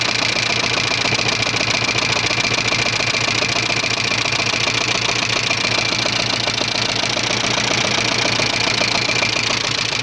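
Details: 1985 Subaru Leone EA82 engine at idle: a steady mechanical knock at about 3-4 beats a second rides over the idle; owner asks what exactly is knocking, cause undetermined.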